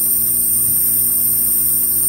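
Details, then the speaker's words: Old Scotsman ice machine pumping down: steady compressor hum under a constant loud hiss of hot gas leaking past a hot gas solenoid valve that no longer closes, so low side stalls near 45 psi instead of 15; this can mimic bad compressor reeds. "we can still hear that loud pissing because that's still gas coming by on the hot gas valve"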